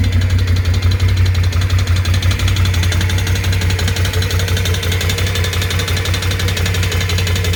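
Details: BRP Can-Am Outlander 650 at idle: steady, fairly regular knock, roughly three per second, riding over the idle; clear internal engine knock, source not pinned down.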